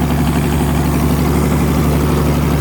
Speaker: It always ran good. It is run good. If only had a seat, we could go for a ride. Oh my God, it's living at idle. It's perfect.